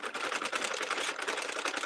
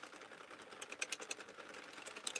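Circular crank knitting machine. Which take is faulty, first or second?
first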